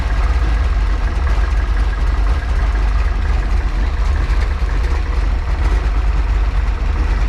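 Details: Freshly built 408 stroker small-block Ford Windsor on break-in oil, warm: steady, even low rumble with no knocks, ticks or misses; idling smoothly and running clean.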